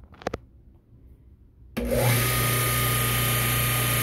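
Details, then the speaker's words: Freshly rebuilt Ford Model T generator on a test stand, third brush set to about 6 amps at 1750 generator RPM: a couple of clicks, then a smooth steady hum with an even whine; normal running. "all right she's running uh I've got it uh got the no point set and then third brush adjusted and right now I've got it set to about six doing about 6 amps at 1750 generator RPM so running along nicely"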